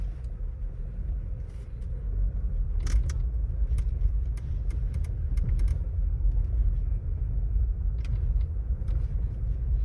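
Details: Volkswagen Taigun GT Plus DSG while driving: sharp irregular plastic rattles from the dashboard over low steady road rumble; authorized service center could not fix it.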